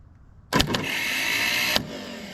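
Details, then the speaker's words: Ford 6600 tractor starter, removed and bench-tested with jumper wire and rusty ground after 8 years sitting. High, even whir with no pinion throw-out clunk; Bendix drive sticking instead of slinging out, to be treated with WD-40 and pried. "it's just spinning. Okay, [snorts] that should sling out is what it should do."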